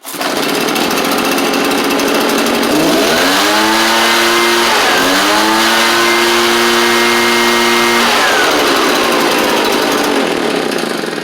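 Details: Echo PB755ST backpack two-stroke blower, after new carb kit fixed it quitting off choke and on trigger (suspected bad diaphragm): smooth buzz climbs through two clean rev-ups and settles back without stumbling; normal revving.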